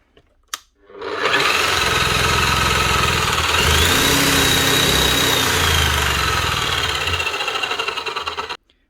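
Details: Bosch H1E hammer after repair with new brushes: steady high-pitched motor whir with smooth even hammering rattle at constant speed; running healthy.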